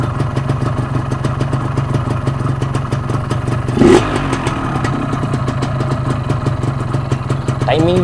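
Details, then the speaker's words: 125Z two-stroke idling fast with a sharp, even crackle of firing pulses after the carburetor was refitted; the mechanic says the ignition timing is too high (advanced) and retards it to bring idle down. "dia tinggi ni geng. Jadi kita adjust timing dia rendahkan."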